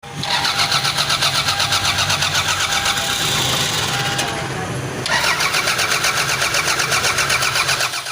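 Starter turns the engine at a quick even rhythm, about four beats a second, across two long attempts, but it never fires: cranks, no start. Cause suspected, not confirmed.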